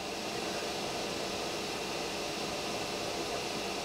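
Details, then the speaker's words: Pressure canner before venting; even, steady hiss of water coming to a boil, vent occasionally spitting droplets, no steam yet so 10-minute vent time not started, normal. "can hear the water starting to boil in your canner and every now and then you'll see a couple of droplets of water plop up and over you'll hear that it'll kind of spit if you will the vent will kind of spit but we don't have steam coming out yet so we can't start our 10 minutes of event time"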